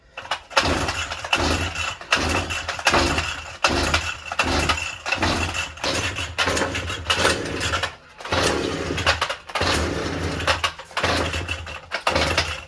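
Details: Two-stroke brush cutter that has been hard to start for a week: repeated pull-start bursts about once a second, uneven and sputtering, with the engine just beginning to catch.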